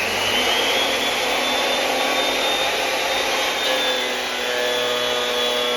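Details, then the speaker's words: Makita 2012 12-inch lunchbox planer with freshly changed sharp knives: steady, fairly quiet cutting roar, a sharp scoop-scoop of wood with no heavy slapping or smacking; board shaved cleanly. "What we're actually hearing and seeing is more of like chunk, chunk, chunk, chunk, where it's a very sharp scoop, scoop, scoop of wood"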